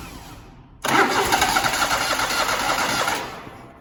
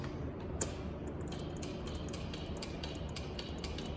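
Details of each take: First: Zero-turn mower (Grasshopper or Toro) sitting about four months, likely with stale fuel in the carburettor, started with an external fuel spray into the intake: the starter spins, it catches, runs roughly about two seconds and dies. Fuel starvation from stale carburettor fuel. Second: Toro zero-turn mower with a no-start complaint, brake set, key on: one sharp click then faint ticking, the fuel solenoid pulling in properly with a good, hot battery; normal fuel solenoid click.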